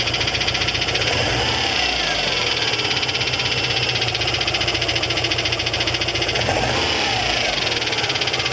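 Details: Quick, regular metallic clatter over the idle without let-up, from the engine-to-transmission joint; a cracked, broken flexplate (drive plate).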